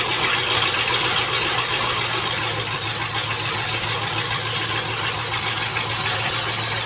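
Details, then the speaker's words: Land Rover Discovery idling after transmission reinstall: loud raspy hiss and chuff over steady idle, no knock; exhaust blowing where the pipe is open after the catalytic converters were cut off, owner plans to patch it. "I guess fit this exhaust back on there I don't know I don't do it exhaust work and I guess I'm gonna put something together on this because it is terrible"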